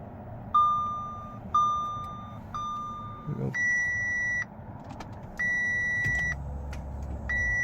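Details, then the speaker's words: 2014 Audi A5 with key: key turned but only a series of warning chimes and no cranking; won't start, cause unknown, electrics and stereo otherwise work. "does have a key it does not start"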